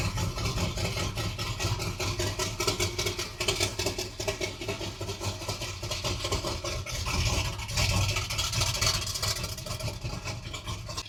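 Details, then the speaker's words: 1978 Ford Bronco revived after decades sitting, just started after priming fuel, engine still cold (temperature gauge not yet moved): catches and settles into a steady, lumpy, throaty idle with loud exhaust bark; runs evenly, pipes way too loud. "sounds good with them pipes on there. Still way too loud, but she sounds good."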